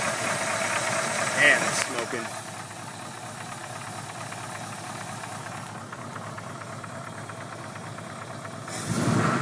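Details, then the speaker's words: 302 small-block Ford at start-up after sitting 6 months, smoking heavily, probably overheated; loose uneven tap-tap chatter about three per second, almost diesel-like — piston slap from a deeply gouged cylinder wall found on teardown. "you can really hear the chatter the tap tap tap tap tap almost sounds like a diesel motor"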